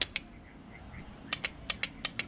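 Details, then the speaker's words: Honda 400EX barn-find ATV, reassembled after timing and rocker cover work, lights on: pressing start gives only sharp dry clicks in quick bursts with no cranking; starter not turning the engine over. "Alright guys, so last thing we left out on, we were having trouble starting this thing."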